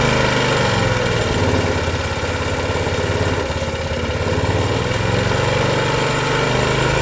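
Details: Old lawn mower after carburetor and tank cleaning, air filter, oil change and throttle adjustment repair (copper wire as regulator): steady even small-engine run, no surging or hunting, partly masked by music; running properly.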